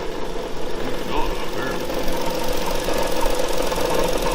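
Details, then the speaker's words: 2013 Ford Explorer, dead battery jumped: steady idle with a dull, repeating knock that gets louder with gas; unsure whether it is engine or transmission, felt from the motor; engine knock at idle, cause not confirmed. "yeah that's the motor give her gas sound get louder"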